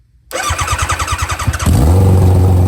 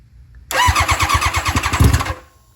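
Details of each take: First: Barn-find nitrous Hayabusa revived, good oil pressure: starter cranks in quick pulses, catches near two seconds and settles into steady, even idle with no misses; normal start and idle. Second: Barn-find championship-winning nitrous Hayabusa revived after sitting: starter turns the engine over in slow, labored pulses, about eight per second, dragging rather than spinning freely and not yet firing; battery sounds weak.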